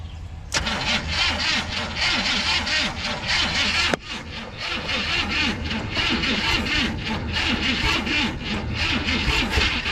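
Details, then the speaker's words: 1970 Chevy C30 farm truck with a V8 (owner thinks a 350 small block), parked up to 38 years, fuel poured into the carburetor float bowl. The starter turns it slowly in an uneven chug, about four beats a second, without firing. Slow cranking, no start. "oh hear that it's trying I don't think we're spinning it fast enough I was going to say it's just not cranking"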